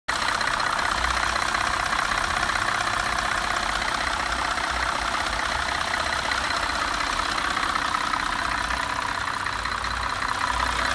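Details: 2004 Cadillac CTS: light, quick ticking (about 158 per minute) from the passenger side over a slightly uneven idle that at times seems about to stall but doesn't; cause unknown.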